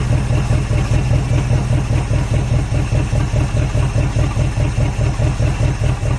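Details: Derelict Dodge D150 pickup V8 fired up after long storage, with fuel poured in and the fuel line disconnected because yellow scuzzy fuel is coming out. Heavy, uneven idle with a rolling, lumpy beat that surges slightly, barely staying lit: rough idle.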